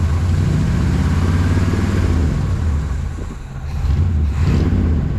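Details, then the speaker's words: 1979 Suburban V8 idling, number seven exhaust about 100–150 degrees cooler than others, vacuum leak or fuel starvation suspected: lumpy, uneven loping beat with a dip nearly stalling; cylinder misfire. "number seven is 150 degrees less than every other one so let's see if she's got any more snooze putting power to it oh yeah Thor would just try to die"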